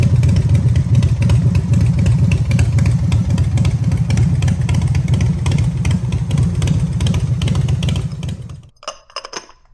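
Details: Harley-Davidson V-twin with electronic ignition, held at raised rpm after timing adjustment, timing mark now lining up with the strobe at the 3:00 boss: a deep, even lope with a heavy low rumble and no stray knocks before shutoff; normal running.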